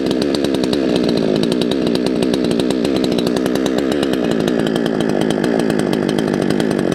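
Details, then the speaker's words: Salem Master chainsaw, two-stroke, low-speed jet deliberately set too lean: fast buzzing that surges and bucks unevenly, then stalls; lean low-speed mixture. "it's stalled out i adjusted that way too low and it stalled out it also started bucking a little bit"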